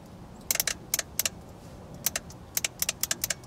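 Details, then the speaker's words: 2006 Toyota Tundra secondary air valve (codes P1441, P2440; no acceleration, under 4000 rpm, under 30 mph) bench-tested with a 9 V battery: light sharp clicks as the solenoid energizes; electrically working, air passes between ports. "I can hear that clicking. I don't know if the camera's picking it up or not, but that solenoid valve's definitely working as far as electrically."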